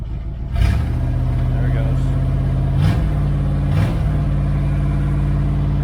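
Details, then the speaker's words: 1978 Dodge Aspen R/T 360 four-barrel V8 during restoration, start-up without going into high idle: loud, deep unmuffled idle with blips; straight exhaust cut off at the manifold makes it loud. "anyway it's just straight exhaust uh it's cut off at the manifold that's why it's loud"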